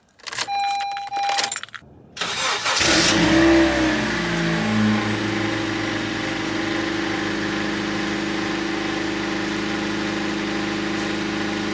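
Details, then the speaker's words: Honda cold start: clean catch into an even smooth idle, smooth as silk, with no knocks or misses, normal. "Well, the Honda sounds pretty smooth as silk as well."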